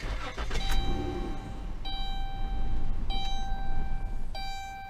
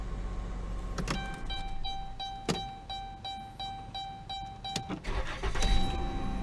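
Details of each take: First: 2011-2016 Dodge Grand Caravan/Chrysler Town & Country 3.6L starts, runs briefly, then dies with warning chimes; the fuel pump relay, soldered inside the TIPM fuse box and not serviceable, is failing, and the fix is replacing the whole TIPM. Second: 2011-2016 Dodge Grand Caravan/Chrysler Town & Country 3.6L after workaround for failing TIPM fuel pump relay (previously started and died): door chime pings, short crank, catches quickly and settles into smooth steady idle; starts and runs normally.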